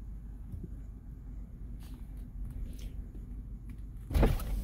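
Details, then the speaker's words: 2008 BMW 650 convertible with 85k miles; one button lowers the windows and folds the top, low steady motor hum cycling smoothly and ending with a firm thump as a panel seats. Normal convertible top and power window operation. "so with the one button it should do everything the windows went down okay so as you can see it's putting everything down"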